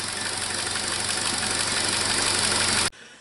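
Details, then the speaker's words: 2017 Chevrolet Trax 1.4L LUV with code P0171 (system lean), at idle; loud steady hiss that stops abruptly, engine running very rough, leak audible and felt, confirmed with vacuum gauge, non-return valve replaced. Vacuum leak. "we definitely definitely have a vacuum leak there you can hear it and feel it and the engine was running very rough"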